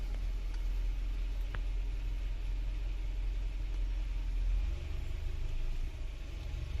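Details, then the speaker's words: Toyota Camry 4-cylinder after fixing a sticking part and reassembly: low, even idle with steady rumble and no misses or hunting; normal idle. "so well everything done now so let's start the vehicle so we finished now everything is done um on the inching area so we should be fine right now"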